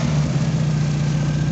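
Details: 1988 Chevy S10 engine, just refitted and restarted: steady even low drone with no knocks or rattles at idle; running smoothly and healthy.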